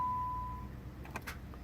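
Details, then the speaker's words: Dodge Avenger 3.6 with 62TE transmission, towed in no crank no start, battery voltage good: chime fades, then a few sharp starter clicks with no cranking; starter click, no crank, cause uncertain. "Uh-oh. Just a click. I hear the starter clicking."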